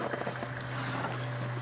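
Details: Old plow truck, pump wired to a ground: a steady low electric hum at one even pitch with faint splashing, the fuel pump running freely while it drains fuel from the tank.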